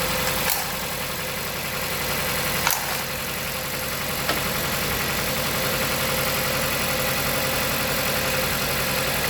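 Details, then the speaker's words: 2016 Jeep Patriot, 162,000 miles, codes P0302, P0171, P2096, P000A, before repair during a coil-unplug test: lumpy idle with an occasional stumble. One cylinder shows no idle change, so it is dead; a coil swap is planned to confirm. "This vehicle has a classic misfire."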